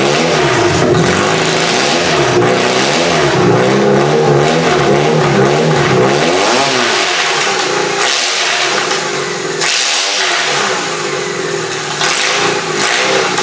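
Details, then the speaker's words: Engine in a demolition derby car, started with QuickStart spray: loud, uneven revving with a lumpy, stumbling beat and flame visible; rough running, owner suspects not all cylinders firing and bad spark plugs. "okay that's really loud so what it sounds like to me is it's not firing on all plugs it sounds like some of the plugs are probably junk"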